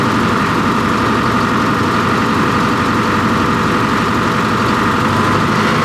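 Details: 245G excavator diesel, formerly smoking black under load after an emissions delete, cold start after replacing the suspect number 3 injector; steady deep drone with an even idle, no misses or knocks, running smoothly, normal idle.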